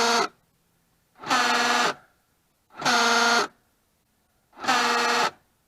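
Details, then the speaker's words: 2003 Hyundai Sonata LX 2.7L V6, front driver's door: four harsh half-second buzzing grinds inside the door at each lock/unlock cycle; failing front door lock actuator, to be replaced. "As you can see, that does not sound very appetizing. What it is it's a door lock actuator, and that's located right here on this front door."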